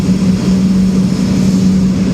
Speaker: you can hear them start to hum and come up to speed this is fan number three speeding up fan number two